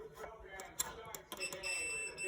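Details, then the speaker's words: Whirlpool Kenmore electric dryer with a mechanical timer that won't turn on: probe clicks, then a steady high-pitched multimeter continuity beep testing the timer contacts, reading zero; circuit closed, timer good. "that reading zero on my multimeter and you hear the beeping noise that means it has continuity so it's good"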